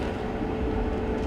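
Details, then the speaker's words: Whirlpool LGB6200PQO gas dryer on high heat after gas valve coil replacement for no-heat complaint: steady, even drum rumble with faint constant hum, no shakes or rattles; running smoothly, igniter then glows and flame lights. "now we will go down to our little window here and make sure everything's working right everything sounds good there's no shakes or"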